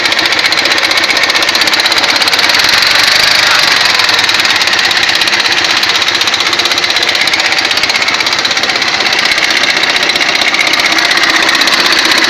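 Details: Ural motorcycle engine: a fast, sharp metallic knock, about four a second, riding steadily over the running engine; owner suspects the camshaft, not confirmed.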